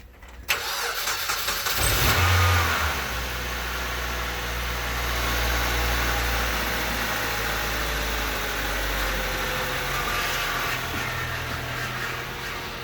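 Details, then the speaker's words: Manual-transmission junkyard car with a dead battery, just jump-started with a Tacklife T8 pack and no cables: it cranks, catches and roars noisily at first, then settles into a steady, slightly rough idle that quiets down; normal. "Whoa. Noisy, isn't it? It will quiet down in a second. There you go. Quieting down."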